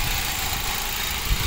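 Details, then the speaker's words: Ford Focus after new spark plugs, coil packs and valve cover gasket, check engine light still on: steady, even idle with light quick injector tick, no lope or stumble, little engine vibration; all cylinders firing cleanly. "check engine light's still on so I'm going to have to go get that cleared but she runs and she drives well runs right now who knows if she drives much less vibration coming from the engine it actually looks pretty much completely still in real life sounds good nice injector rattle"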